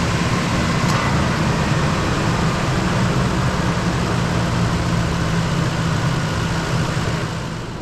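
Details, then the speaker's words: 2005 Ford F-150 V8 starting after No. 3 spark plug thread repair and new plug, codes cleared: loud, steady idle with even, unbroken beat and no misfire. "she's running no misfires guy got lucky"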